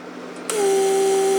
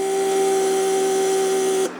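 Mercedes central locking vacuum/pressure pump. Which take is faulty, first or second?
first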